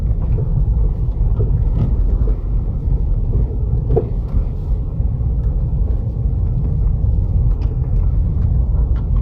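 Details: 2008 Opel Astra H z16xer, driving: irregular dull knocks from front left over steady road rumble; strut rod play after top mount bearing replacement, when seized rod nut was spun with an impact wrench.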